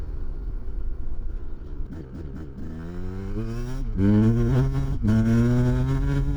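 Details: 1993 Kawasaki KDX200 two-stroke after new piston, ridden after second/third-gear break-in, then shifted through the gears to wide open: crisp ringing revs climb and drop with each shift, smooth and even with no rattle; healthy.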